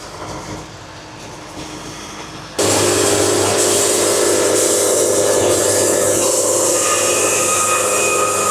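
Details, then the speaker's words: Band sawmill cutting a log at a faster feed rate: the idle hum jumps into a loud, steady, even cutting roar with a held tone as the band pulls evenly. Normal cutting under load; faster feed gives a better cut. "There we go. Y'all hear that? That's what you want to hear."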